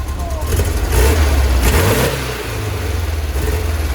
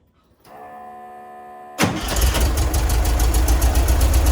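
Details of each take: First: 1966 VW Split Bus dual carburetors after going up to 70: revs climb and fall cleanly with no stumble or popping, settling smoothly back to idle; throttle response now good, road test next. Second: 1966 VW Split Bus with dual carburetors, just drilled to 60 mid-range jets: engine catches after short crank into a lumpy low rumble, still slight hesitation on acceleration; accelerator pump to be adjusted, possibly 70 jets next.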